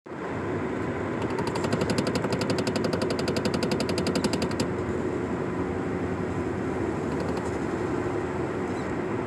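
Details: Nissan Sentra knocking while driving straight above 30 mph: quick, even ticking knock over road noise at steady cruise; rhythmic knock is real but source unclear.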